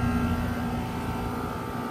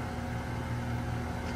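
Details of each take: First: New February 2025 Trane XR14 1.5-ton heat pump outdoor unit; steady even hum with a few fixed tones, no knocks, rattles or grinding; running normally. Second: 2018 Goodman GSZ14 2-ton heat pump, fan running without the compressor since the previous afternoon: steady low hum as the compressor strains weakly but never starts; cause unknown.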